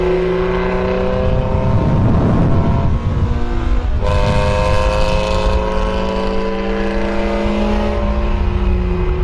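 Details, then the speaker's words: Honda with Spec-D eBay catback exhaust, before adding Vibrant muffler/resonator: revs climb and fall with a harsh raspy drone and little muffling; muffler suspected to have no packing inside, to be cut open to verify. "Thing sounds like booty."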